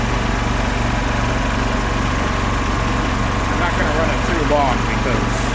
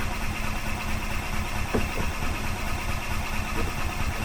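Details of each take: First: 2005 Club Car Precedent gas golf cart, first run after about 5 years sitting. Steady, even single-cylinder putter with no knocks or misfires, then it winds down and stops cleanly; runs healthy, oil light off. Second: 2005 Club Car Precedent gas golf cart, sat about five years, cranking on choke: the starter turns it over steadily but it never catches; owner suspects a varnished carburetor bowl, the fuel pump is seen pumping, and it soon starts.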